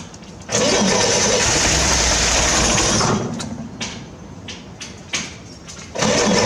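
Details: 1968 Corvair being revived after sitting, gas poured down the carbs to prime: a long crank barks into life for a moment and dies, then a few weak pops and more cranking. It won't keep running; owner is trying to get it to pull fuel up.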